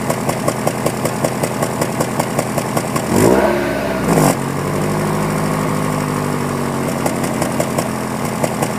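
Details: 2001 Honda Prelude, cold morning idle, CEL codes for cylinder 2 and random misfire, black tailpipe, burns 1 qt oil per 1,000 miles: idle stumbles with irregular thump about once a second, then a blip; worn rings suspected, unconfirmed.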